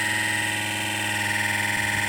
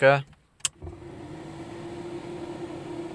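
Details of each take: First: Car heater blower fan running loudly, steady drone with thin high whistle; fan rubbing on its worn mount, wear on the bolt that nearly holed the heater radiator; caught in time. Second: Car heater blower after repair, previously running loudly: after a click it spins up to a smooth, even whoosh with steady low hum, now quieter and normal.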